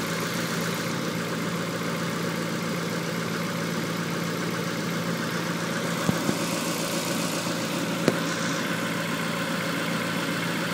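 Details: 1994 Honda Accord after a head gasket job, head milling, new timing and balance belts and new NGK plugs: rough, slightly uneven idle with a shake. Cylinder 4 is misfiring and its plug is dry, with no check engine light; the cause is unknown.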